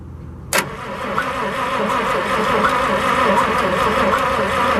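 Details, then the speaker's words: 1963 International 549 engine, cranked on the front distributor after its points were filed: click, then steady cranking around four turns a second with no firing and no spark seen; crank no-start, new coil fitted next. "I didn't see any sparkles. Me neither. Okay. Plan Z."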